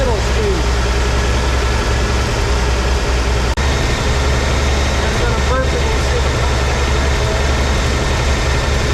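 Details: 1983 Ford F150 300 inline-six after the Carter YFA one-barrel carb fix, choke off, idle dropped slightly but maybe still fast for a manual: deep, steady idle rumble with a faint occasional stumble. Normal idle.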